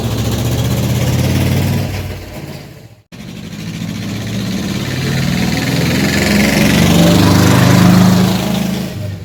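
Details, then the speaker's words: Old tugger work vehicle, sat all winter and wouldn't take gas, after Zenith carburetor rebuilt and cleaned, driven down the road: even low chugging picks up smoothly as it pulls away, no stumble or hesitation; runs good. "Well, she runs good. Sure proud to get her back up and going."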